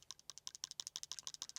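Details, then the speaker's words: DJI Osmo Pocket 4P camera shaken by hand; quick light clicks about seven or eight a second from loose gimbal parts, similar to the Insta360 Luna Ultra; normal for gimbal moving parts, not a defect. "man hört schon, dass da was klappert, aber Leute, die Luna Ultra ist nicht wirklich leiserer."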